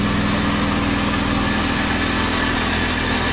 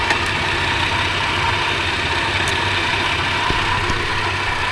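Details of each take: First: 1997 Lexus LX450 (80 Series Land Cruiser) at idle on a lift after years unused: uneven puffing chuff under the engine hum as exhaust blows out where the muffler is rotted through and its bracket broken off; needs a new muffler. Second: 80 Series Toyota Land Cruiser, fully warm after half an hour running, oil pressure 15 psi at idle: steady, even idle without knocking or tapping, then smooth climb toward 3,000 rpm; healthy revving.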